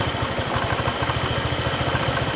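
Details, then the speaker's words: Honda Vario Techno 125/150 scooter idling steadily after a no-cost workaround for a stretched cam chain: the kletek rattle is gone, though the engine feels less lively; the proper fix is a new cam chain. "kletek-kleteknya hilang ya, masalah kata keteng yang molor."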